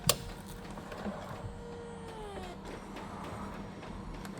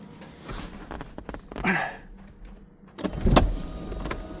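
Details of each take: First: Porsche 996 convertible after hydraulic roof cylinder rebuild and refit: steady electric pump hum with whining tones dropping in pitch as the roof travels; pump louder than usual but working, fix left for later. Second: Porsche 996 convertible, hydraulic roof cylinders rebuilt and refitted with pump, hoses and wiring, no leaks: window motors whir down, latch clicks, roof pump hums and clunks through its cycle, pump a bit noisy; roof working normally.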